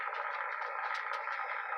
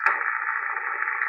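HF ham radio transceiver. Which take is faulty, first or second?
first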